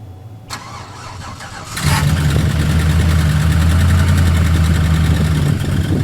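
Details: Chevrolet LS V8 truck before top-end upgrade: cranks and catches, then a loud uneven idle with fast light tapping from the top end; suspected seized lifter in its bore from incorrect lifters fitted with the cam, not confirmed.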